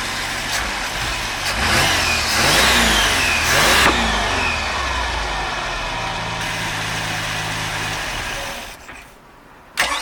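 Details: Mercruiser 4.3 V6 in Genesis boat, after replacing bad starter and rebuilding carb for a no-start: cranks, catches, revs cleanly, then steady even idle with no misses or knocks; normal running.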